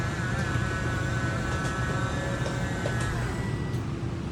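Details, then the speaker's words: RV slide-out room motor running: steady electric drone with a faint even whine, no grinding or catching; a whine when fully extended signals to stop; normal slide-out operation. "you'll hear a little whining sound when it's all the way out that's when it tells you you want to stop"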